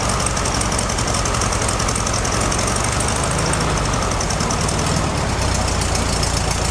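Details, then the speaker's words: Classic VW Beetle with a freshly rebuilt carbureted engine, before the fix: steady but lumpy idle with an uneven, slightly knocking beat; an open vacuum line leaked air, and blocking it with a finger made it run really well. "So right here is this vacuum line that goes to nothing, and you can see it's just blocked off there. And when we put a finger over it, the engine started running really, really well. So I think that was the issue."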